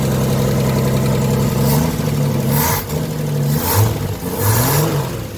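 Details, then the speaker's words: 1973 Scamp V8 after replacing a leaking Holley Blue fuel pump and adding a fuel filter: even, low idle burble that rises smoothly on throttle blips, with no misses or knocks; the pump is pulsating properly. "Nothing wrong with that. Now we got the engine running."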